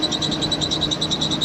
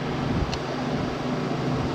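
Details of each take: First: 1988 Jeep Comanche Pioneer 4x4, 4.0L inline-six, jump-started after sitting for years: high, sharp chirps about seven times a second over a quiet idle; belt squeak, owner unsure of the source but thinks it may come from the AC compressor. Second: 1988 Jeep Comanche Pioneer 4x4, 4.0L inline-six, jump-started after sitting for years, running after a treatment was applied to the squeaking belt: even, steady hum with no chirp or squeal; belt now runs quiet.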